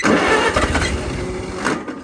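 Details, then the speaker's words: 1964 Farmall 140 tractor, sat 7-8 years, in neutral at about half throttle with a little choke: quick crank, short burst of firing, then fades and stops as the empty fuel supply runs out; engine sounded good briefly. "Now, fortunately, I don't have any gas here. I've got my can, it's empty. So I'm gonna run and go get some gas. Sounds like she's ready to run, and sounded really good the split second it started."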